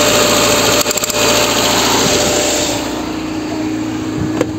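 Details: Lada Kalina 1 that had lost its idle, after repair: engine sits at a fast, steady buzzing idle around 1500 rpm with no dip or settling; idle speed too high, throttle valve being adjusted.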